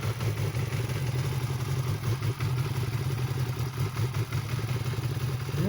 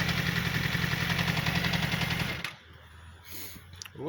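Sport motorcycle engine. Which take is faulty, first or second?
second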